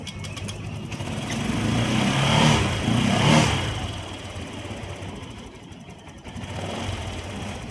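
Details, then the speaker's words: Honda Click 125 scooter revving and settling with light regular rattle about four a second; noise appeared suddenly and idle is lacking; mechanic suspects cam chain tensioner or timing chain needs replacing, unconfirmed. "So, yan yung tunog niya. Bigla siyang nagkaroon ng sounds at saka walang minor. So, ayan, check natin. Kung maring palitan na yung tensioner or yung timing chain niya."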